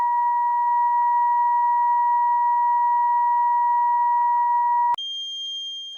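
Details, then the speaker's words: 1937 Grunow 588 radio while tuning the capacitors: steady test tone cuts out abruptly, returns at higher pitch, then fades; intermittent connection, suspected cold or rusty connection, possibly fixed when the RF side is restored. "whatever's causing that cold connection is now the biggest issue and it could be when i go in and replace the components and restore the rf side to probably take care of it"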